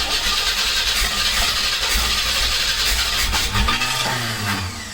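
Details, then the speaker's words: Old 1986 Pontiac Fiero GT on freshly installed battery; starter churns with uneven chuffing for several seconds but engine never catches and winds down, crank no start with no spark, later traced to a damaged ignition wiring connector. "it sounded like you wanted to start so bad and after trying multiple times"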